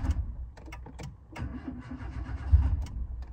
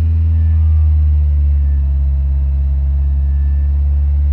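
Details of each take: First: Engine converted to hydrogen gas on the stock ECU with high-flow injectors: uneven, labored low chugging as the starter drags slowly before it catches; slow crank, battery suspected dead, not confirmed. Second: Petrol car converted to hydrogen, stock ECU, about 8 bar hydrogen tank pressure, not at full operating temperature, no load: steady even drone at about 2000 rpm, no knock or stumble. Timing slightly below petrol; runs fine.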